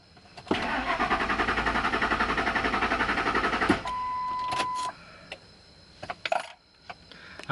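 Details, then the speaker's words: 2001 Ford Expedition 4.6L Triton V8 cranking with a spare chipped key programmed five years ago: the starter spins the engine evenly for three seconds but it never fires, then a chime and a blinking security light; the immobilizer rejects the key, while the original key works. "with the pre-programmed incorrectly key from Walmart it's Brandy blinking and look at that no start"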